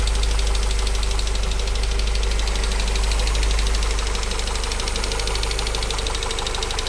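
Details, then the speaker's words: Mercedes W202 drift car: rough idle with fast, fairly even diesel-like clatter about three per second; owner suspected hydraulic lifters; heavy sludge from bad old oil found under valve cover; spark plug change helped only a week. "my engine now sounds like a diesel well it sounds like the lifters or something"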